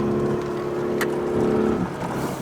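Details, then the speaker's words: Mercedes W124 project car with LPG and petrol, driving on the move. Steady droning roar with a slight dip near the end. The car does this a lot; loud engine roar while driving, cause unknown. "You can hear how she roars. Yeah, she does this a lot."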